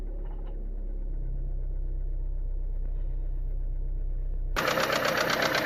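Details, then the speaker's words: Renault Megane 2 1.6 automatic after an oil leak, cold start idle: a steady, even light knock about four times a second over the engine; owner suspects the cam phaser is rattling. The car drives well and holds revs. "Вот так стучит двигатель на холодную при заводке. Фазик потрещал."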